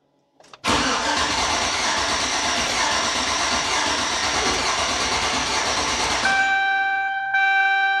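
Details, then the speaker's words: Chevy LS V8 truck, first start after valve cover work: the starter cranks steadily for about five seconds without catching, then chimes. There is no fuel because the fuel pump relay was left pulled after bleeding down the line. "okay I have something missing and I know exactly what it is earlier I pulled the fuel pump relay to bleed down the fuel line before unplugging it or before disconnecting it"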